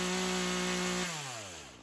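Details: Craftsman chainsaw that sat for years, rerun days later after cool-down: even, steady two-stroke idle without hunting, winding down smoothly at shutoff. Carb acting more natural; tip test suggests no head gasket or crank seal leak; chain doesn't move at idle.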